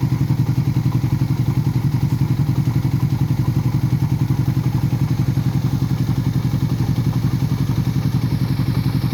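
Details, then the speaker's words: Raider 150 FI right after replacing the connecting rod and whole cylinder head: even idle with a sharp, regular tok about four times a second over the low exhaust thump; ticking noise, owner unsure if normal. "may tok to to to tokok e"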